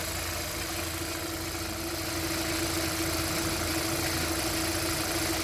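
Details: 2012 Kia K7 2.4 GDI Theta II gasoline, 143,891 km, after engine boring/rebuild, new ignition coils and spark plugs: quiet, even idle with a faint steady hum, no rattle or knock; noise and shaking seem gone, engine sounds healthy.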